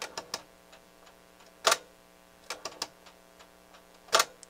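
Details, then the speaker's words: NAD 6155 cassette deck pressed into play, takeup spool not turning, pulley visibly cracked: sharp irregular clicks over a faint hum, a hard snap every couple of seconds as the gear stalls; owner suspects missing teeth on the pulley's meshing gear. "here's what happens when i press play this gear watch this gear kind of every time it makes that noise it kind of stalls"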